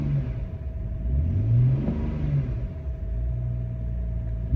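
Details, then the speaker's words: BMW 335i (E90) after oil filter housing gasket and belt work: engine rises smoothly and settles into a steady even note, running well after an initial miss on first start-up. "But it's running pretty well now."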